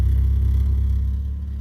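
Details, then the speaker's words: Big-cam car revived in a mud pit, running smoothly with no smoke: deep, even rumble with steady firing and no misses, about 17 in vacuum and now charging. "butter a it's good to have this running again"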